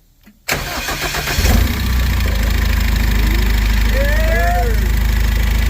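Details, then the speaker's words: Mitsubishi Delica with Cummins 2.8 diesel swap, first start: engine catches into rough idle with wavering squeal from power steering because one hose is reversed (lines flipped) at the steering rack. "just so you know one of those hoses is backwards on the power steering rack and that's what happens if you flip the lines"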